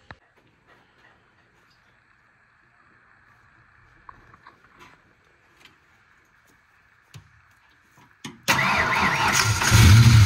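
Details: Foxbody Mustang 302 with B303 cam and T5, first start after about 3 years: a short crank catches into an uneven, lumpy idle. It runs on 7 cylinders (one plug wire removed) with 4 vacuum caps off, causing misfire and vacuum leaks.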